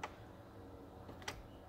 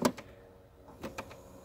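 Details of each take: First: 2008 Chevy Impala after replacing the HVAC air door actuator behind the dashboard, which caused the infamous knocking when changing air controls: two soft clicks over faint cabin hum, no knocking or binding; normal actuator operation. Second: 2008 Chevy Impala: sharp irregular tapping behind dashboard when changing air controls or after key off; gear-operated recirculation door actuator binds, locks up and snaps back; fix is replacing the actuator.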